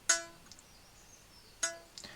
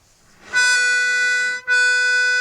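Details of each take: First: Treble reed from a 70-year-old Hohner Verdi 1 accordion being restored, plucked after ultrasonic cleaning. Two sharp pings ring with clear pure overtones and a clean decay, showing a clean, freely vibrating reed. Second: 70-year-old Hohner Verdi 1 accordion being assessed before restoration, tuning checked: one reed side at A440, the other tremolo-tuned higher. Bursts of bright reedy notes about a second each, paired reeds slightly apart in pitch; some reeds are out of tune.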